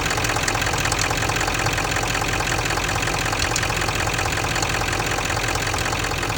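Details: Ford 7.3 diesel at idle: a fairly regular metallic tick, near three a second, over the usual diesel clatter, separate from the typewriter noise; cause undetermined.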